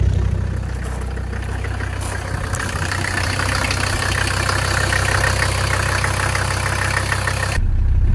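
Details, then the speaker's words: Mercedes diesel in an S-10 after bigger rebuilt turbo install, started after priming fuel pump: steady even diesel clatter at idle, deep rumble, no knocks or surges; normal diesel idle. "All right, we got it started. She is running."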